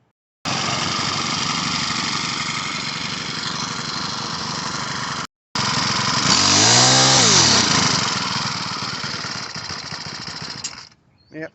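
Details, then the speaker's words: Troy-Bilt TB525 EC two-stroke trimmer after carburetor repair, running at full rev to burn off oil in the cylinder after cloudy bad fuel: high buzzy run sags and drops out, still spitting and sputtering but clearing up. "she's still spitting and sputtering, but she's clearing up."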